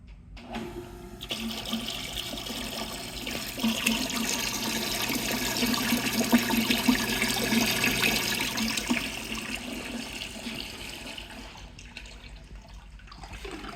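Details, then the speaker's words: Graymills coolant pump with tank, 115V, for surface grinder or lathe, tank filled with water: steady rush and splash of water over an even low motor hum; pump runs smoothly and circulates normally. "Big Graymills coolant pump, and we're gonna turn it on and show you that it works."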